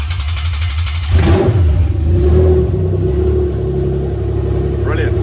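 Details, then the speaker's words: Toyota 1G-FE VVT-i for a Lexus IS200 on new ECUMaster Black harness, started via CAN keypad buttons: cranks, catches about one second in, brief flare, then steady even idle; normal start and idle. "okay so as I said from now the canned buttons are what are using the starting so three two one cool and now I can kill the engine and start it back up again"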